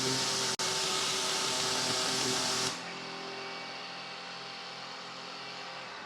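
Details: Revised Maxflow MPro 25 pressure washer, drawing about 14.6–14.7 amps and throttling itself back near that limit: even, fairly quiet motor hum with a steady hiss that cuts off and winds down smoothly; normal run and spin-down.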